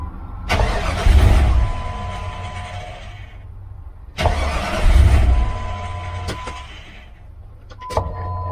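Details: Jeep WJ after replacing a busted O-ring on the fuel pump assembly that let fuel pressure bleed off and caused repeated cranking: twice it cranks briefly, catches promptly and settles into a steady idle; now starts easily.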